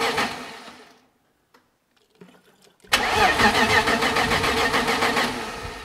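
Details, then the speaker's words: BMW E30 with freshly built M52 turbo engine on Megasquirt, first start after head assembly and cam timing, weak battery: starter cranks in an even churn of about three beats a second with pauses but never catches; fuel pressure being raised, cause not confirmed. "Now it should start. Does it move? Doesn't start? Just raising up the fuel pressure."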